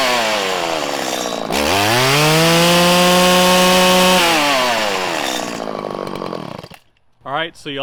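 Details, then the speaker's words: 1997 Stihl Pro Series FS two-stroke trimmer during carburettor tuning: revs whine up to a high scream, then stumble and drop unevenly as the low-speed screw goes too lean and breaks up. It is then backed out a sixteenth. "you could hear when i went too lean and it started to break up and it was having trouble ramping up there was a larger dead zone"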